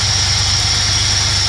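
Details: Holden Commodore V6 in a CF Bedford van idling after replacing coil pack, leads, injectors and fuel pump; steady, even low idle with smooth regular pulse, no misses, knocks or ticks, healthy.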